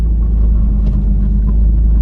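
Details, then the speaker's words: Lexus IS300 after replacing failed brake booster, engine running, pedal pressed: only a steady low engine rumble, no vacuum hiss anymore, pedal smooth; booster holds vacuum normally. "I don't hear a hissing noise anymore. And when I press the pedal, it's smooth, like butter."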